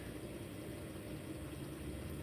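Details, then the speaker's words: Sega Dreamcast console running: an even, low, continuous buzz with a faint steady hum and no knocks or surges. This is the normal disc drive noise. "I love that about the Dreamcast that you always hear the little buzzing sounds coming from it"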